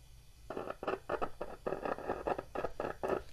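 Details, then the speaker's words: Used loudspeaker tested by touching a battery to its terminals: irregular scratchy crackle bursts on each contact, in both polarities, showing the voice coil is not burnt; cone looks worn. "então isso significa que a bobina está boa está Produzindo um som esse ruído aí tá bom"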